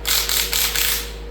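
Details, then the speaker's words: 287 V8 water pump off a Rambler, believed to be a 1964, spun by hand during the engine rebuild: gritty ratcheting rasp for about a second, then fading. Likely a worn sealed bearing rather than the fins. "That sounds more like bearings to me."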